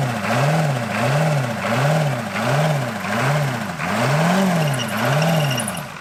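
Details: Revived Buick Century with a diesel V8 (owner calls it a 350 diesel), with one glow plug still disconnected: rough, lumpy idle surging about every 0.7 s, not firing on all 8 cylinders.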